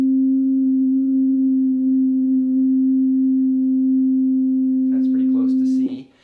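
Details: Oberheim OB-8 after voice-board rebuild, calibrating the VCF offset and volts-per-octave at middle C. A clean, steady pure tone holds one pitch, then cuts off; the top note isn't quite C. Filter self-oscillation pitch error needing volts-per-octave trim.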